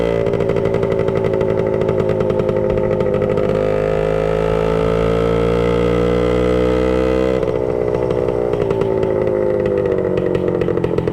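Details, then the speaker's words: 1966 Suzuki Bearcat 120cc two-stroke, revived after lying dormant, started with an easy kick: crisp, even buzz rising and settling smoothly with throttle, no misses or knocks; running healthy, though a leak still needs finding. "Okay guys, so there you have it, our 1966 Suzuki Bearcat 120 on the road to being ready to go. It's running now."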